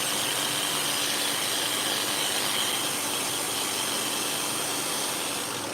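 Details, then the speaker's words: Freshly cleaned, sharpened and reassembled dog-grooming clipper blade being run in to set the blades together after testing; steady high-pitched buzzing chatter with a rough rattly edge over shop fan noise, running noisier than normal, cause unknown, needs fixing. "So that's one blade that's been cleaned, sharpened, reassembled, and tested. Noisy, hear that?"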